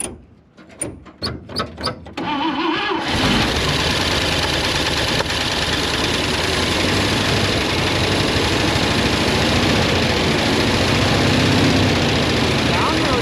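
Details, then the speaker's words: IH 4x4 Loadstar, an old fire truck, started on fuel poured down the vent with a little choke: a few cranking bursts, then a smooth even idle with no misses; no fuel coming through the fuel pump; normal start and idle. "I think it sounds really good. Just a little bit, but now we're running out of fuel. Okay, that's good news. It runs."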